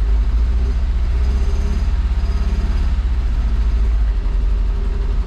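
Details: Fiat Brava parked for 23 years, fed gasoline straight from the pump through the injectors: low, lumpy, uneven idle with missing power strokes, as two cylinders are dead from stuck, waxed-up injectors.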